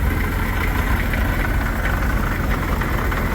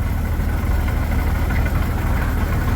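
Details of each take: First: 1941 Dodge WC-6 after transmission rebuild with new seals and input bearing: heavy, uneven low idle with a faint light rattle; owner first suspects an engine bearing, then thinks it comes from the straight-cut transmission gears, uncertain. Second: 1941 Dodge WC-6 after transmission rebuild with new seals and new input bearing: even low idle rumble with no whine, rattle or grinding from the gearbox; previously noisy when pushing the clutch, now as quiet as can be.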